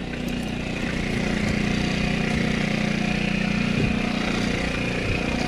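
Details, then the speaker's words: Scooter engine with valves lapped but not fully sealing: light uneven putter at fast idle, weak punch per beat, hard starting; low compression from poorly sealing valves. "nie no i przez to niestety ciężko strasznie pali teraz jakoś dziwnie tak łatwo i szybko ale tak na ogół to ciężko paliwo jest słaba kompresja jest mniejsza kompresja"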